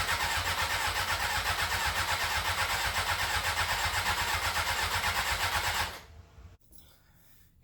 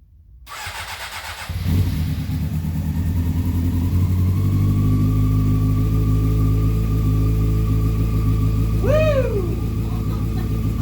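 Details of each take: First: 2001 Honda CBR600 F4i after valve adjustment and reassembly: starter cranks steadily about six seconds, no fuel pump hum, never fires; pump not priming, reportedly needs headlight plugged in. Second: 2001 Honda CBR600 F4i after valve adjustment and reassembly, needed headlight plugged in to start: engine catches after brief crank, steady even run with smooth revs, no knocks or ticks, slight smoke from exhaust; normal running.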